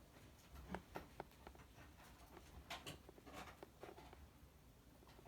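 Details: Brand-new 2017 MacBook Pro, about two weeks old, sharp irregular clicks and small pops as the lid moves; creaking hinge, defective out of the box, cause unknown.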